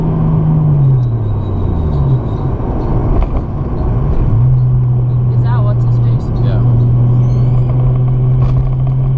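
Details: Toyota JZX100 with 1JZ engine, driving laps on the C1 after misfires that stop after about 3 minutes: deep, even hum climbing smoothly with speed under acceleration, no stumbles or bucking; running normally again.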